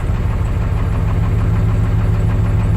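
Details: 1996 Ford F-250 7.3L Powerstroke diesel, cold start before valve cover gasket and injector harness repair: low heavy clatter at cold idle with an uneven, lumpy beat; rough idle, cause not yet found.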